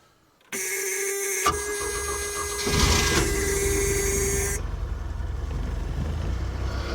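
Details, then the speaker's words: 1970s Mercruiser sterndrive during winterizing, battery test with a unit charged to 100% switched on, water running: a brisk whirring crank catches within about a second and settles into a steady run, then warms running a little rich; normal cranking and start. "now as you guys saw that just whipped it right over water's still on and running"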